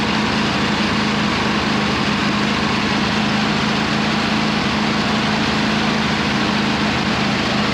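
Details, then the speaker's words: 26 HP Kohler V-twin on a lawn tractor, idling just after fitting new OEM Kohler ignition coils to cure an intermittent one-cylinder misfire; steady, even low hum with no misses or stumbles; not perfect yet but much improved. "so it's still not perfect it's running really good compared to what it was originally but it's pretty good for now"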